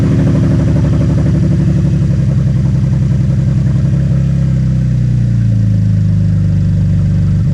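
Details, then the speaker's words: Camaro started after parts were swapped from a parts car, running with no muffler (bought that way): harsh, blaring, unmuffled exhaust bark rising and falling with the revs. "Yeah, there's no muffler on it, guys. That's why it's so loud. But, uh, that's the way we bought it."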